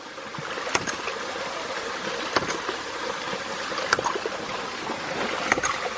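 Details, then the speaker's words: Ram pump with tennis balls as the pressure tank fill, balls being crushed flat by pressure: sharp metallic smacks roughly every second and a half over running water; the pipe hammers hard with no air cushion left. "Starting to hit hard now. It's a lot of pressure in that thing. I don't know if you can hear it or not, but that pipe is smacking hard."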